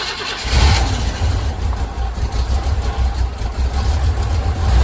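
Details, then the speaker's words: 1985 C10 V8 with a Quadrajet carburetor, unstarted for one to two weeks, during cooling system and thermostat repairs. Low, uneven cranking drone for several seconds before it catches; long crank expected because the Quadrajet leaks down. "let's go crank it up it hasn't been started and I don't know week maybe two weeks just start up let's see probably a long crank goes Quadrajet leaks down"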